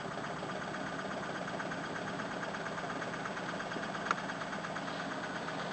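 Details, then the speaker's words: Mother's car that is never driven properly or revved, with sticking valves after sitting, suspected carboned up; compression on only about 2 then 3 cylinders. Uneven, lumpy idle with hollow chuff, missing on at least one cylinder; rough idle misfire. "I'm just going to do this until oil pressure comes up or something and it sorts itself out. So I really don't have time for this. There we go, 3 cylinders. Sounds awful."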